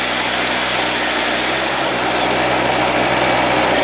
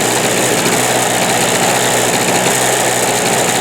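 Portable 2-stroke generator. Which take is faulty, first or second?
second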